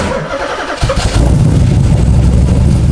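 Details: LS1 V8 in a Nissan Z32 after a heads-off rebuild with a big cam, healthy bottom end, first start: cranks, catches and settles into a deep, loping, unevenly surging idle with the typical big-cam chop.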